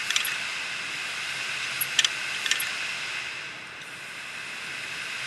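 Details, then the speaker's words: Western Digital 500GB external USB hard drive, a clicking drive. Platter hiss with sharp irregular ticks and scrapes. The heads have crashed and the platter is scored like sandpaper; the drive is junk, with only the electronics still good. "this drive is junk heads are junk"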